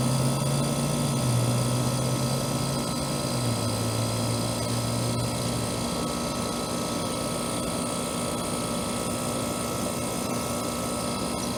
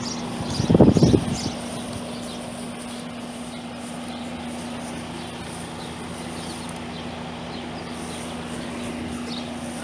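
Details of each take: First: Trane AC condenser installed the previous June, warranty call for fan-only running; after fitting a hard-start capacitor/start relay, steady even hum with constant fan whir, no rattles or cycling; running normally. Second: Trane AC condenser installed a year earlier, not cooling; only the condenser fan drones with a low hum and the compressor fails to start, fixed by replacing the failed capacitor and adding a booster.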